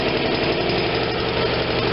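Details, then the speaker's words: Vermeer BC625A brush chipper, Kohler Command Pro 25 twin gas engine after idle screw adjusted by ear: low steady even putter, no knocks; slow idle for blade engagement yet enough oil pressure, normal idle. "so you want it pretty slow but not so slow that you don't have good oil pressure to protect your engine good"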